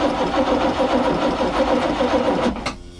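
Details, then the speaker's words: Port Crusader 454 XL marine V8, sat with water-contaminated fuel: steady cranking about three and a half beats a second, no firing; no fuel output, so the no-start appears to be fuel starvation rather than low compression. "So let's see what we got when we crank here. There ain't no fuel out of this one."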